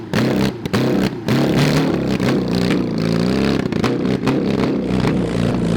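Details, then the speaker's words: Mid-1970s Honda CB750 SOHC 750cc swapped into a 1980s Suzuki Quad Sport 230, first ride after a push start: loud, uneven revving with stumbles and dropouts under throttle, occasionally clearing. Bogging is suspected from carbs only cleaned, no real exhaust, and worn points ignition. "to have to have some carburetor work we only cleaned them we didn't really do anything right like soak them in all that stuff"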